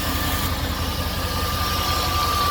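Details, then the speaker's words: Jeep Grand Cherokee WJ V8 after new radiator, water pump, oil pump, timing chains, valve cover and oil pan gaskets; first run back together, smooth even idle with steady low rumble, no knocks or misses, running like a champ. "we got the prospector Jeep project going here all back together pretty excited that it actually started running like a champ new radiator"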